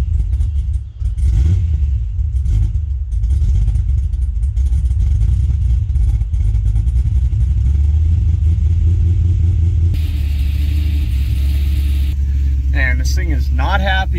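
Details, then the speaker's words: Gen 1 Cadillac CTS-V V8, cold after sitting about two years; heavy low rumble with an uneven, lumpy beat and unsteady revs as it warms, rough cold running, cause not confirmed. "it's cold then not running for basically two years other than getting it off the trailer"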